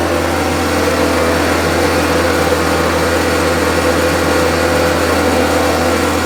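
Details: Homelite UT08572 string trimmer, small two-stroke, tested outside after repairs and a spark check: steady, even high-pitched buzz with no surging, sputter or dropouts throughout. Owner will check whether an earlier "tink" noise is gone. Normal running.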